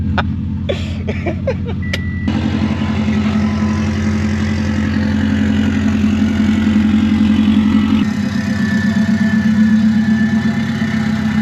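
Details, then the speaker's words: Saab 9-2X (WRX-based) being stripped for parts, last start-up: cranks, catches, then loud raw rumbling idle with throttle blips, unmuffled because the exhaust has been removed. "And sorry neighbors, this is going to be pretty loud cuz the exhaust is gone."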